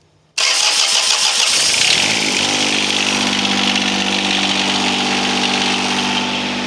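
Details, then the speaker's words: John Deere 455 diesel mower whose fuel shut-off solenoid won't pull in on the key; started by helping the solenoid and jumping power to the starter, it cranks briefly, fires and settles into steady idle; won't crank on key: no crank on key. "so now we need to figure out why it won't start with the key"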